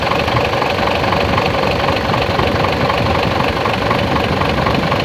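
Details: Mitsubishi Fuso Super Great 6M70 truck diesel idling with a steady, hard knock about four times a second.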